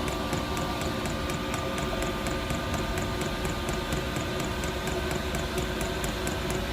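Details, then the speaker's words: Newly fitted diesel heater in an LDV Convoy van on first run: steady fan roar with a light fuel pump tick about twice a second; heater works, but owner thinks it has not primed properly and needs more fuel pumped through. "I think I've just got to pump some more fuel through CU it doesn't seem to Prime proper so uh I think that's what we've got to do now is just prime it proper"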